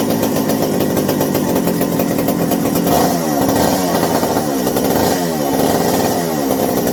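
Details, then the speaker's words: McCulloch 790 chainsaw after fitting a new 090 carburetor, replacing a bad spark plug and turning idle down: loud two-stroke buzz revs up and drops back cleanly without bogging; sounds exactly as it should, though binding throttle linkage won't fully close. "But if you couldn't hear me yell and I was saying, yeah, it was just, it sounds real good now, exactly as it should."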